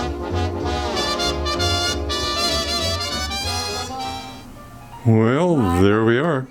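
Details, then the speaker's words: RPC Airmaster radio reassembled after resoldering a socket's cold solder joint, likely from original manufacturing: swing music plays clean and full with no crackle, hiss or dropouts, and the volume has improved; working normally. "it's all back together playing well no crackling it actually improved the volume quite a bit"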